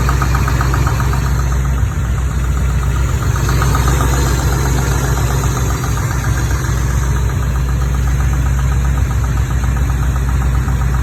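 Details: Corvette Chevy 350 small block, 43 years old, 48,000 miles, idling with a quick, uneven tappety ticking about four a second on the driver's side, also felt in the valve cover; the passenger side is quiet. Lifter or valve tap, cause unknown.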